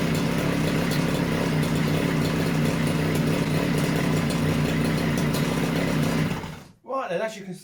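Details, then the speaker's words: Stihl disc cutter, newly acquired, two-stroke started cold on choke; steady buzzy high idle holding evenly before cutting off, running fantastic and healthy; service with new air filter and plug still planned. "running fantastic actually so i will still give it a service and that'll get a new air filter and plug for it"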